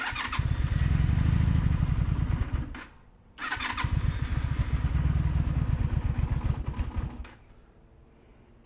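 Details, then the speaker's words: 2002 Honda Magna VF750C under rebuild, cold start on choke held open by hand: catches with a deep throbbing beat, sags nearly to dying twice, then picks back up; ordinary carbureted cold start. "Choke out and start. Kind of gotta have to hold it open because it wants to spring back closed."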